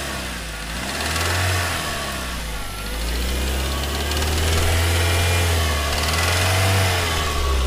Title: Real spun bearing